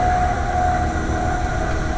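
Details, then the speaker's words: AAON 5-ton rooftop HVAC unit: steady mid-pitched hum over loud uneven low rumble from the running fan; fan motor wobbling, bearings suspected going out. Abnormal fan motor noise, not confirmed. "the fan motor cuz I stopped it and Marie started it and I think the bearings are going out that thing's wobbling a little bit too much"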